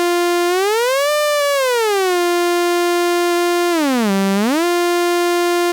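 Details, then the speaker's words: Restored 1974 Minimoog with dead-zone mod in the pitch wheel, oscillator one only: a steady tone bends up and down with the wheel and returns to exactly the same pitch at centre, no tuning drift. "I can wiggle that wheel within that detent and there's no tuning drift."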